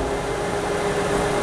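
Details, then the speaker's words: Used metalworking lathe with a collet setup, under test, power feed engaged: steady, even mechanical hum with a faint constant tone and no knocks or grinding; the lead screw turns and the threading lever engages smoothly. Normal running. "All right, lead screw's turning, so we can check the threading lever to start with."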